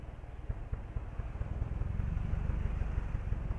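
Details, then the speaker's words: Toyota Vios 1NZ petrol engine at idle with check engine light: rough, uneven idle with irregular low thumps, misfire blamed on lean mixture from the ignition system. "มีอาการเครื่องยนต์ติดไม่เต็มสูบครับ"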